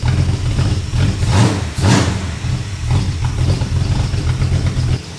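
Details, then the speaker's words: Freshly installed engine in an old car, first short 15–20 second start with no coolant yet: deep, even exhaust note that picks up cleanly on throttle blips and settles back without missing. Sounds mean. Normal running. "it sounds mean that's pretty damn good eh yeah"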